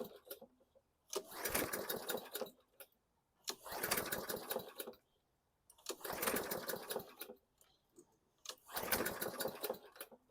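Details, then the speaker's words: 2014 Bolens 21" mower, Briggs & Stratton 500E 140cc, new recoil fitted, fresh gas, heavily primed: four recoil pulls ~2.5 s apart, whirring spins dying without firing. Cranks, no start; owner wonders about valve clearance or the safety. "started before with that carb now we don't have anything we got fuel I primed the heck out of it"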